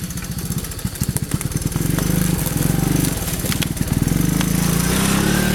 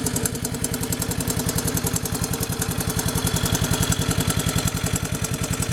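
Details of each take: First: 1982 Honda 185S three-wheeler, single-cylinder, after carburetor adjustment and Marvel Mystery Oil: thump stutters just off idle then smooths at higher revs; slight miss off idle, improving with riding, cause unconfirmed. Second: Honda 185S three-wheeler idling after oil change and recoil repair; steady, even single-cylinder thump with no sharp ticking, the earlier loud tap quieted by the oil change; idling cleanly.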